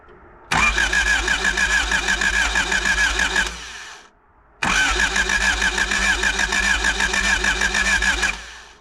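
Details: 1985 Honda Civic parked 16 years, after fresh oil and battery terminal repair: two bursts of steady fast cranking, about three per second, engine turning over but never firing; cranking, no start.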